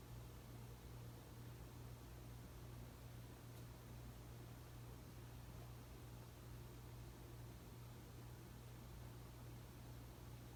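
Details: 52" Emerson Heat Fan ceiling fan dated September 1980, at minimum speed after bearing replacement and blade balancing: very quiet faint steady hum under soft air noise, no clicks, rubbing or wobble knock; normal running.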